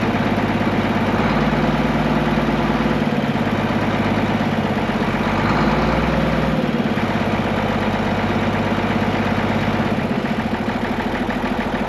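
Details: Case 1175 tractor diesel parked 15 years, revived with ether: a steady, even clatter at low idle with no knocks, misses or rattles, a healthy idle; it won't go into gear, suspected clutch out of adjustment or worn out.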